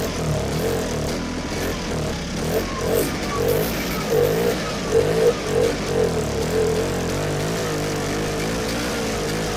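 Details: Vintage sled with an old cheap carb diaphragm kit, stored since last spring, on choke: catches in uneven sputtering bursts a few seconds, then dies. Fuel is pumping; owner suspects a stuck carb needle, and the carb has to come apart.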